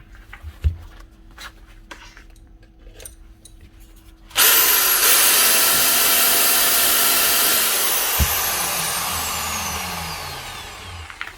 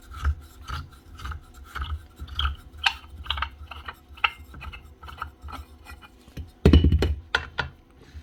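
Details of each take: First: Grinder from a broken-tool lot after cleaning out what was suspected to be light oil in place of gear grease: sudden loud, even whirr that holds steady and winds down with no rattle or grinding; runs smooth. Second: 1999 Makita 9069 9-inch angle grinder head turned by hand gives a rough, scratchy rasp on every turn; bearing in the gear head shot, gears possibly damaged too.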